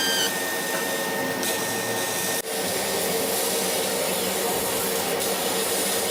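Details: Laser cutter tube whistle: a thin steady high whistle over the extractor hiss throughout the cut. It appeared after about six months of operation and comes from the beam at the nozzle exit, not air or compressor. Current rose 12→13 mA, with no uncut spots.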